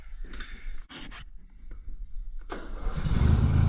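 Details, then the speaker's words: Old Sears riding mower first start after repair, deck and front not yet fitted: a few quiet clicks, then catches at once at about two and a half seconds into a steady even run; clean start. "Whoa, she starts right up."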